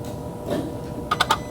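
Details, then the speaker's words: 2023 Kia Sorento with engine off and key out: a short, irregular burst of four light clicks as the throttle body moves while a relay keeps cycling. Suspected circuit staying powered or shorted to power, not yet confirmed. "just like that so somehow some circuit is staying powered up or is shorting to power or something for some reason that relay keeps kicking off and this throttle body keeps kicking over"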